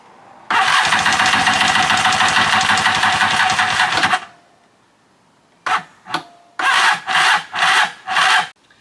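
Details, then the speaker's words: Free stand-up jet ski, new spark plug fitted and starting fluid tried, cranking on the old EverStart battery: starter churns about four seconds, then short dragging bursts that die away; weak battery, slow cranking, swapped for a spare JS300 battery. "Alright, I swapped out this Ever Start, which is more like a Never Start. Put a new battery in it that I had in the garage from the old JS300."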